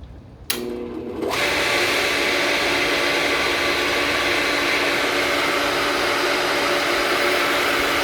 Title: Pump doing loud noise